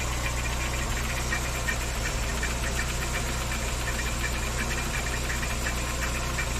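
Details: VW Saveiro G4 with AP 1.6 engine, valve cover removed: uneven knocking, a few taps per second, over a rough idle, coming and going; owner suspects a pulley or timing belt related part, origin under the engine unclear.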